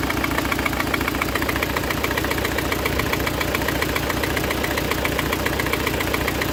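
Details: Citroen C4 1.6i: uneven, lumpy idle running on only 3 cylinders, code P1339; misfire from a failed ignition coil, fix is replacing the coil.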